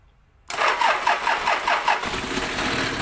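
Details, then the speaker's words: Diesel engine with hard-starting history, after new fuel filter and extra wire to starter: about six compressions of cranking, then catches at once and settles to an even, steady idle. "Okay tinanggal na natin hinugot na natin yung 12 vol niya ibig sabihin aandar pa rin kahit wala na siyang supply doon so sasabay talaga siya sa starting"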